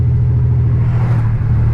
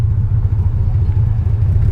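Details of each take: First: $200 salvage-auction BMW 325xi E46, all-wheel drive, driving down the road: deep, even exhaust rumble with steady firing, no misses or knocks, smooth but loud; normal running. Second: $200 salvage BMW 325xi E46 all-wheel drive at first stoplight on test drive: deep, lumpy, uneven idle rumble throbbing as if about to stall, though it kept running; rough idle, cause not pinned down.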